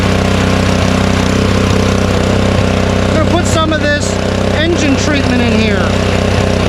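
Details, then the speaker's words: Honda snowblower, unused since the last snowstorm, started choked on the first pull with the fuel shut-off closed to run the carburetor dry for storage; small single putters at a fast even beat, smooth, no knocks or misses. "we're going to start it up and let it run out of gas because we're blocking the gas from going in there"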